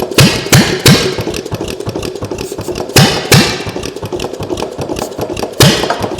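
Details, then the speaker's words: Homemade 'Frankenstein' engine strapped to a table, first run after pistons cleaned and rings refitted, running on ether: slow, ragged firing with loud pops every half second or so and missed beats; it spins over well but has low compression. "now everything thing spins over good um it doesn't have a whole lot of compression um I don't know if that will if it does run if it's going to uh get better or not"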